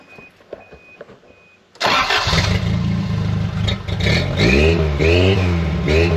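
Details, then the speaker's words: 1983 Toyota 22R with Weber 32/36 carburetor, new short-tube header, 2.5 in straight pipe and 3 in Thrush muffler: starts quickly into a deep even burble with clean throttle blips; normal healthy idle. "wo I'm not mad about it it almost sounds like a almost sounds like a V6 uh I like it it's deceiving"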